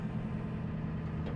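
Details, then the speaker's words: 1989 Ford F250 7.3 IDI diesel, cranked after sitting a week: steady deep idle with even low clatter and no misses or knocks; normal idle, running healthy. "I ain't started it in a week. Just roll out here and crank it over."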